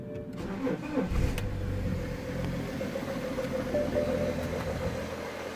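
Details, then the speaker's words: 2007 BMW E61 525d cold start after repair of shaking, erratic cold idle and smoke; EGR tested and throttle body cleaned: quick crank after glow plugs, fires straight up and holds smooth even diesel idle, no shake or misfire. "smoke, no really, and it's running absolutely perfect. Running really smooth, as you can see. No shaking, no vibrations, no nothing."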